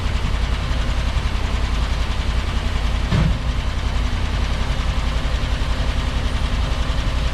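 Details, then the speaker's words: 1957 Chevy Bel Air V8, revived after sitting in a field, oil pressure and fuel system fixed: low steady idle rumble, even beat, no tapping or knocking; good oil pressure, quiet motor, possibly a mild cam; normal idle. "got lots of oil pressure motor seems pretty quiet sounds like it might have a bit of a camshaft in it"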